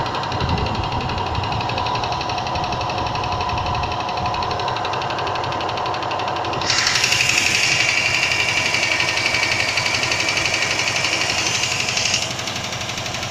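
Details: Range Rover II, cold engine: a faint, fairly regular tapping of about three per second under the hum, with a hiss joining halfway through; knocking when cold, source unknown.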